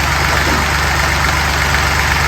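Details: Fordson Dexta diesel tractor after tweaking the vacuum-governed mechanical injection pump: steady, even diesel clatter at idle with a low, constant rumble, no knocks or hunting; normal idle.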